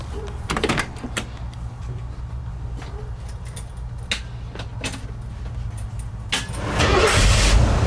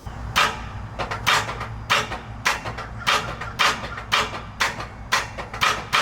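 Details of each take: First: Early Ford Bronco after a new starter was installed. Some clicks, then a strong, even rumble as the engine turns over; the starter now cranks properly and works a lot better than the old intermittent one. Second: Early Ford Bronco starter that sometimes works and other times just clicks over: sharp clicks about twice a second with no cranking. Starter to be replaced with a new one.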